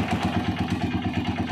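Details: Honda TMX single-cylinder motorcycle idling after tune-up, oil change and adjustment of very loose valve clearance: even thump about eight beats a second with light regular top-end patter; healthy idle, no loose valve clatter.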